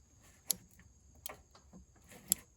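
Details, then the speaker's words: Yamaha golf cart brake-light relay, a 4-pin unit with one pin unused, wire-tied to the frame in the engine compartment. It gives two crisp clicks as the brake is pressed and released: relay engaging normally. It has an off-delay timer feeding 12 V back to the turn signal switch. "This pin is not used, and so but when you press on the brake, you can hear the relay engaging."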